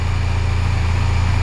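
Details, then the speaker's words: Crashed Honda Silver Wing 600 CVT scooter, revived after over a year in storage: low, smooth, steady hum, no misses, knocks or hunting; normal idle. "oh my god it sounds good it sounds good all right now i'm gonna shut down and check the oil again"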